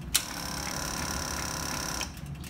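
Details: Yamaha Star 650 motorcycle during ignition testing, spark gap tester grounded to the cooling fin: at key-on a click, then a steady high electric hum for about two seconds that stops cleanly; fuel pump priming normally.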